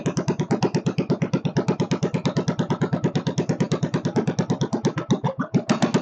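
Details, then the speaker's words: Free Kohler K301 stationary single-cylinder engine on first start, with chainsaw two-stroke mix added and a leaking fuel pump: thumping about ten beats a second, mostly steady with one brief stumble; idle speed needs adjusting. "she needs a little adjustment on the idle circuit not idle circuit the idle speed I should say"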